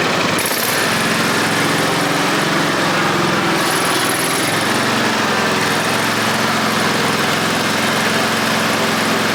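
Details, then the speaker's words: Toro Z Master 5000 mower engine, oil level checked OK. Harsh, rapid, hammering knock at idle throughout; something is badly wrong inside, cause not found. "I mean, it's got oil. It sounds like it's knocking bad. I can't figure it out."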